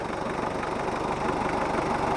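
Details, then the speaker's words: Mitsubishi Kuda diesel at idle after an injector nozzle replacement during servicing: an even, steady clatter with a regular low beat and no misses or harsh knocks; smooth, not too rough or dry. "akhirnya kita cari ini yang kita dapat suaranya halus enggak terlalu kasar atau kering"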